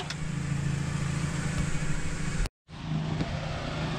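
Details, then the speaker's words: Honda CRX B18, sitting two years, started on starting fluid alone with the injectors disconnected and plugs cleaned. It cranks and catches with an uneven, lumpy run, cuts briefly and picks up; the alternator is seized and burned off the belts. "right so we got it started and I just found out that the alternator is completely seized up"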